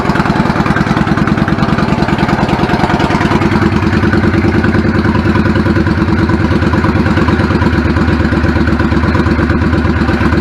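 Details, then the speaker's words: 1999 Yamaha V-Star 650 Classic V-twin, twin carbs, 16K miles, after cleaning clogged pilot jets: even loping idle with steady beat, no stumbles or hunting, settling back down; carbs fixed, idle healthy. "settles back of it I'm fine with it babies are fixed oh good"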